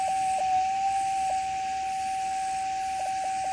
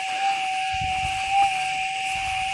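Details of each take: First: Gold metal detector with RX (receive) gain turned up for demonstration: steady mid-pitched threshold hum breaking up with brief dropouts and wobbles; runs unstable with chatter even after ground balancing, masking target signals. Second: Gold metal detector set stable (RX gain 10, stabilizer 8): thin steady threshold tone holds clean with two short soft swells from a small target, now distinguishable without chatter.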